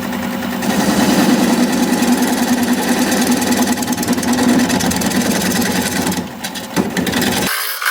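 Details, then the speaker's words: Wood lathe turning a cherry plum bowl blank: steady drone with a rough rhythmic scraping rub about three times a second, once per turn, as the tool rest accidentally rubs the spinning blank. "That noise you hear is because it's I have the tool rest rubbing on this. Not intentionally, but it's okay."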